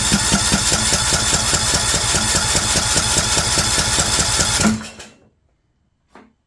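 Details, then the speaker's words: Craftsman LT2000 lawn tractor with choke working: steady brisk cranking about two and a half beats a second that never catches, then stops. Cranks but no start; owner bets the carburetor fuel solenoid isn't getting power. "okay I'm gonna bet we don't have power to the carburetor"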